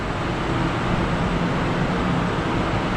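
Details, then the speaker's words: New workshop paint spray booth extraction fans running during first spray test: constant deep airflow roar with low steady hum, no knocks, rattles or wavering; much quieter than the old booth; normal operation. "And it's quieter though. I think it's so much quieter compared to my old booth."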